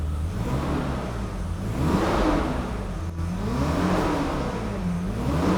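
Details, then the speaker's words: 1991 BMW E31 850i, M70B54 V12, first start after 2-year restoration: smooth V12 burble rising and falling cleanly with throttle blips, quiet and firing on all 12, with faint power steering pump whir underneath. "Oh, it sounds good. And you can hear the V12 burble. It is quiet though, I gotta say."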